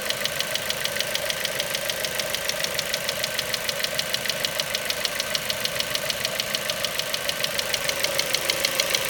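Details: Ford Mondeo 4 2.0 Duratec HE, 89,000 km, LPG fitted at 70,000 km, idle: sharp regular ticking knock about 200/min, even throughout; not valves or swirl flaps, owner suspects petrol injectors; knock vanished revving to 7000 rpm stationary.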